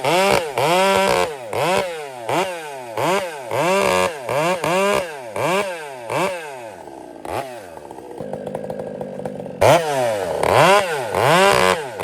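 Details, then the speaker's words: Chainsaw after a major repair, carburetor being tuned richer: repeated rev-ups with a burbling, uneven four-stroking bark at the top that changes as the mixture screw is turned, running rich. "Listen to the I guess for stroking or that bark that you hear and just watch what happens going forward here."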